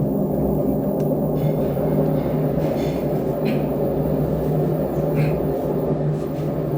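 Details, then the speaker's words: LG direct drive washing machine running: loud continuous low rumble with a hollow ringing boom from the drum; suspected failed drum bearing, later replaced. "Oke guys, ini kita udah dengar suaranya. Ini sepertinya ini bearing yang rusak."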